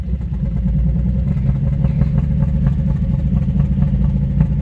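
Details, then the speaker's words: 2000–2001 Jeep Cherokee XJ 4.0L after a spark plug change, driving: it barely idles, shakes, and stumbles and clatters irregularly when accelerating. Misfire from a coil rail connector left loose because its red safety pin was closed. "as is the jeep is uh still driving because it's a jeep it barely idles it's shaking listen listen when i accelerate"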